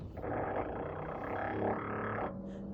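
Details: Whirlpool French door fridge: loud groaning, growling roar for about two seconds when doors or drawers are opened or closed, from evaporator fan blades scraping built-up ice.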